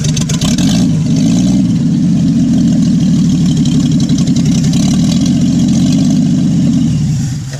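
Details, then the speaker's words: Willys Jeep truck old four-cylinder idling: chugs with an uneven, lumpy beat instead of smooth idle; not running as smooth as it used to, owner plans to pull the carburetor, cause not confirmed. "It's not running as smooth as it used to. I got to pull the carburetor."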